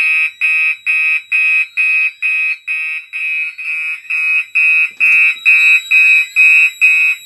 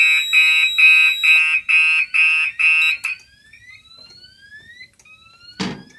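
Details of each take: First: Gentex fire alarm system test on a DMP XR-500 panel: high, piercing horn pulsing steadily about twice a second, no gaps or weak blasts; horns working normally. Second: Fire alarm test: manually turning on output 6 of a DMP XR-500 panel trips the SXL-EX, giving loud repeating high-pitched pulses about two a second that then cut off; the panel output is misconfigured.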